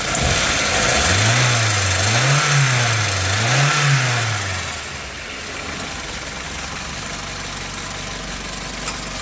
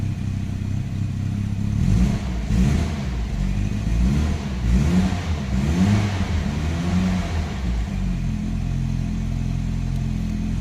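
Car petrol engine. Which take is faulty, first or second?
second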